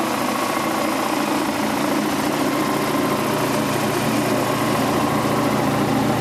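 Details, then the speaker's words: Quincy Model 325 compressor with rebuilt lower end and new starter, pump on the tank. Inspection plate and shims were siliconed against water ingress. Test run at 18-20 psi oil pressure: steady, even chugging over motor hum, no knocks. Normal running. "Alright, got the pump on the tank, got the new starter mounted and wired, and give her the old test run. Oil pressure on 18 to 20 pounds."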